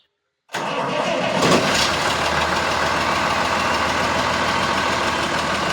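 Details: John Deere 6600 diesel tractor with cab and repaired engine: starter whirs briefly, fires at once and settles into a steady, even idle with no knocks or misses; normal start and idle.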